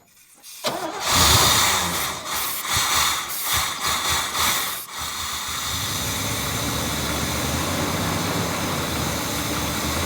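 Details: Old Chevrolet truck sitting for years, new battery and fresh fuel filter: about four seconds of uneven cranking chuffs before catching into steady idle; long cranking before starting.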